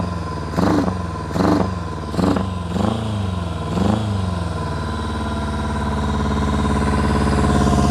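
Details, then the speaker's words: 1999 Kawasaki ZRX1100, first restart after sitting twelve years, airbox removed: throttle blips then lumpy uneven idle missing a beat; misfire on one cylinder, number 4 cylinder running cold. "Definitely missing on one cylinder. All right, this number 4 cylinder is cold."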